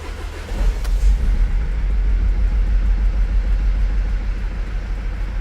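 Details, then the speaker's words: Mercedes Sprinter diesel during injector replacement and coding work, restarted after a plug was unplugged, cleaned with electrical cleaner and refitted; catches and settles into a rough, lumpy, stumbling idle, not horrendous but definitely missing, cause unknown. "that's rough [Music] it's not horrendous let's see about better [Music] it's definitely missing definitely missing"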